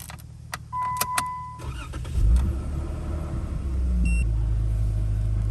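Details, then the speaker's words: Jeep on Drummond Island after power steering fluid was lost through a loose connection on the steering ram: cranks, catches, runs steady with no pump whine; steering much better, wheel turns. "way better. That's way better. Yeah. I can actually turn the wheel."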